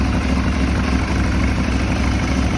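Deep, heavy idle with a lumpy, uneven beat under a steady drone; the twin is not settling, a rough idle. Cause suspected, not confirmed.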